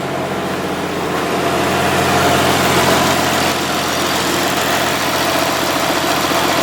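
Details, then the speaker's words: Car idling with new coil pack fitted, previously missing at idle: steady, even idle with no stumble and a strong fan rushing air; it now runs better and smoothly. "Okay, so it sounds like it's running better, but I think it's just the actual clutch pad now. It's not as noisy as the old one."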